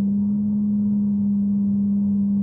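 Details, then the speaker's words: Mercedes CL500, air conditioning off, at a certain engine rev range: steady pure low droning resonance over faint rumble; garage suspects the noisy tandem power steering/ABC pump, not confirmed. "and then when I get to a certain rev range this is kind of resonant frequency"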